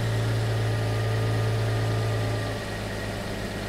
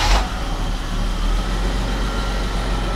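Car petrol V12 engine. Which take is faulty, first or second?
first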